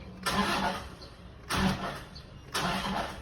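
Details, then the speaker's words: Toyota Vigo diesel started after timing belt replacement and reassembly: fires and runs a few short even revs with no knocking, ticking or rattling; engine sounds healthy. "เครื่องมีอาการเขตหรือเปล่าครับเงียบเลยมีเสียงนี้ก็คือโอเคนะ"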